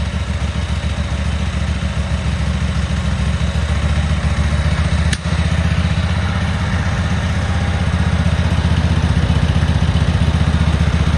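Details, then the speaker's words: Cub Cadet Super 2284 lawn tractor twin engine, previously running, rear cover off and some bolts missing: even, steady low putter at a settled idle about four beats a second with no misses or knocks; clean-running engine. "but we're gonna fire this motor. You tell me if you think it's a good runner."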